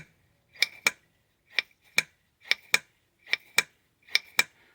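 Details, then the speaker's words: Lotus Elite rear Stromberg carb with a new diaphragm, during an adjustable jet tube upgrade. The piston is lifted and dropped: sharp paired clicks about once a second with a quick clean fall. The earlier delay was the diaphragm; normal carburettor piston drop. "That's a nice fast. And you can hear it. That delay is that delay was the diaphragm."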